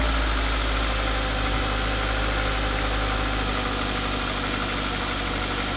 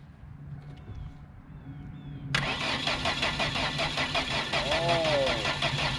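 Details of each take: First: Ford Focus bought cheap, running after holding a broken pigtail wire by hand, exhaust broken: steady, even idle with a constant low drone and no misfire or stumble; normal idle. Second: Ford Focus with about 180 (units not given) and two and a half working cylinders: the starter spins the engine at about three even beats a second without firing; no spark, traced to a broken wire feeding the ignition coil.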